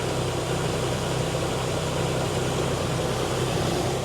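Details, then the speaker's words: 2002 Nissan Xterra, repaired after stalling on the road, with the coolant system refilled and bled of air: steady, even low V6 idle with no knocks, misses or hunting. The truck is running well. "Everything's buttoned back up. Truck's running awesome."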